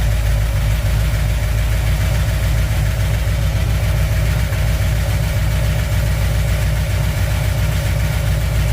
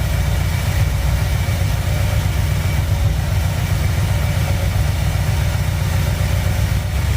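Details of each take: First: 1959 Chevy El Camino V8, first start after fixing overheating damage, cold, water temp just rising, good oil pressure: steady idle with faint irregular tapping that settles as it warms. Owner suspects a dry cylinder. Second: 1959 Chevy El Camino V8, restarted after repair, warming, choke idle dropped down: low, even burble with no tapping or rattle. The earlier engine noise is gone, and it sounds healthy and quiet.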